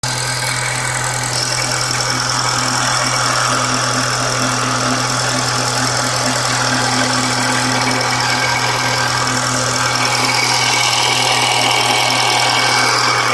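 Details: Idling petrol engine with a steady hum and a faint, fairly regular light knocking, described as a weird noise; cause unclear; abnormal engine noise.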